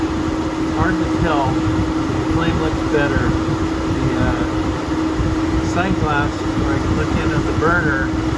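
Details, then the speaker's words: 5-year-old Suburban NT-20SQ RV furnace with new burner (previously flame went out after about 15 seconds, ran loud); even blower rush, steady low hum, no surging or popping: normal furnace operation. "it sounds normal out here with the new burner i'm happy"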